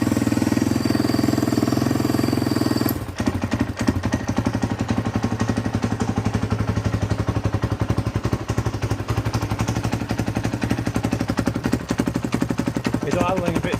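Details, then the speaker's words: 2014 Husqvarna FC 450 that came in not running, with old fuel and a snapped throttle cable. First start-up after the cable fix, new oil and filter, exhaust still unrepaired: slow, loping, slightly uneven thump. Idle speed set too low, may need adjusting up. "low, so I might have to adjust that up."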